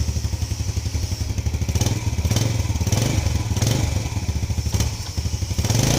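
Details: Yamaha Lagenda 115 scooter, formerly hard to start when cold, after fitting a new pilot jet and main jet 100: steady even idle with quick throttle blips rising cleanly.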